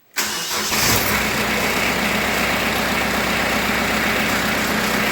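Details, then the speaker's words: Kubota B3030 diesel tractor at 400-hour service, after oil and filter change, started with glow plug: catches immediately and settles into a steady, even idle with no knocks or misses; healthy start. "okay all righty give her a little glow plug here and she should start right up"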